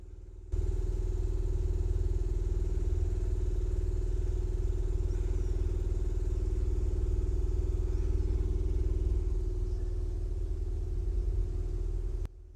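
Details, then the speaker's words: Land Rover Series 2A converted back from LPG to unleaded with a new fuel pump, ignition on after topping up petrol: steady low hum with a quick regular pulse about four a second until switched off; the pump primes normally, no leaks. "We have prime. Let's check for ridiculous flow fuel. Nothing leaking there."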